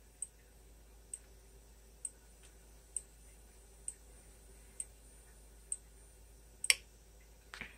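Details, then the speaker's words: Honeywell/Ademco heat detector wired to a 12 V fire strobe, heated: sharp clicks about once a second, then a louder snap as the detector cools and resets, strobe stops. "Yep, I heard the click on the heat detector. It means and the strobe's not flashing no more. So it means it's done."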